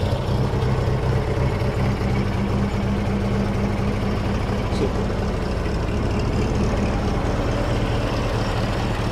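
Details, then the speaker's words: 1913 Bugatti Type 22 Torpedo just after starter-button start, cold on choke: steady, low, even idle with no misses or knocks, running on year-old fuel. Choke amount is an experiment each time; a healthy cold engine. "I'm going to and you never know how much to choke it and if you flooded it or whatever right"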